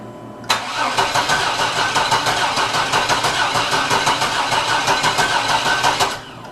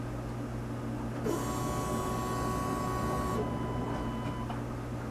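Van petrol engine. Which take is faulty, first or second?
first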